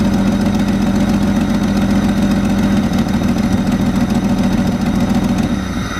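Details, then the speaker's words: Jeep 4.0L inline-six at steady idle: rapid, sharp puffing tick about three or four a second from a cracked exhaust header/manifold, a common 4.0 problem. "one of the annoying problems with the 4.0 is the header crack which sounds like this"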